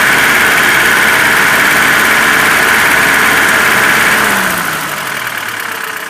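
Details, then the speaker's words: ZMZ 402 engine fully warm, idling around 650–700 rpm with oil pressure about 2. A dull chiming diesel-like knock appears when throttle is released back to idle and comes and goes. Cause was play between wrist pin and connecting rod in all four cylinders. "Этот вот перезвон, когда сбрасываешь газ, полностью на холостые уходит. Дизельный рокот какой-то."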